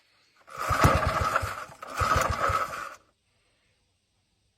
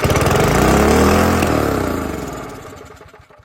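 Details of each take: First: Older Briggs & Stratton 3 hp engine with gear reduction, found in scrap, run on starting spray with the carb likely gummed and pump diaphragm suspect: short bursts of even, buzzing firing, no knocking or rattles; runs fine. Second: Older Briggs & Stratton 3 hp engine found in scrap, started on starting spray with the choke opened: it catches and instantly races flat out, holds a high even howl, then winds down; overrevving, suspected because there is no governor linkage.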